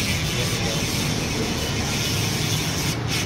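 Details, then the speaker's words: Carbon road bike hub spun after reassembly with generous grease and oil; smooth even whirr with no rough grinding or catching, whereas before servicing it was very rough: healthy freehub spin. "Mantap bunyinya. Karena ada gemuknya, ada gres-nya, ada olinya sehingga dia bunyinya enggak begitu kasar."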